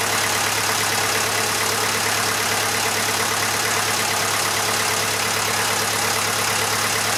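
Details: Massey Ferguson 35 (835) with Standard 23C diesel, first start in over a year: even, steady idle with an unchanging beat, no knocks or misses; slight blow-by expected for an engine this age; normal idle.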